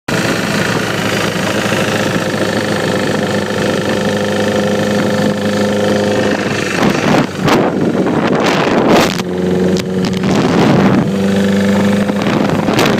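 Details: 2009 Repsol motorcycle idling: steady idle with a light quick ticking over the top; engine ticking noise from the top end, cause unknown.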